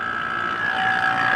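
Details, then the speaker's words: Small vacuum pump evacuating the chassis AC of a 1999 Chevy P30 Forest River RV, with gauges on the low and high ports. A steady, even hum and high whine with no knocks or surging. It ran about 45 minutes without passing the 25 vacuum mark. "You hear the pump working. We let it run for about 45 minutes, give or take, and it never really breached the 25 psi vacuum point."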